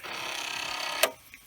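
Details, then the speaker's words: Commodore 1541 disk drive under a looping head-movement test: fast rattling buzz of about twenty-five clicks a second ending in a sharp knock as the head bangs its stop when the directory can't be read; drive may need adjustment. "and that forces the drive to have a look at what's going on and if it can't read the directory it will bang the heads"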